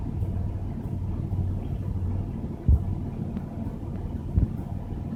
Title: Regal misfire